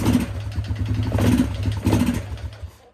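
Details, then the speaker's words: 2001 Yamaha Grizzly 600 single, footage from before the repair, not taking throttle. A rough, clattery note bogs with dry knocking from piston slap, caused by a seized wrist pin, possibly from oil starvation. Fixed with new piston and cylinder, crankshaft rebuilt or replaced. "not taking much throttle. That engine sounds a little noisy."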